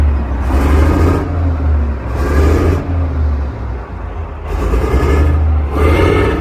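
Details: Chieftain Mk10 tank engine, once considered a write-off, given gentle throttle blips: deep, steady rumble that rises and settles cleanly; runs evenly and very well, possibly low on fuel.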